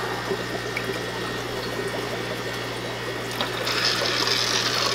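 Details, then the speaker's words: Hang-on-back aquarium filter started on a breeding tank: steady motor hum with gurgling and splashing as the chamber is filled by hand; the impeller had been spinning dry with no water until primed. "you hear that noise oh my god what's that noise that's the impeller turning with nothing no water"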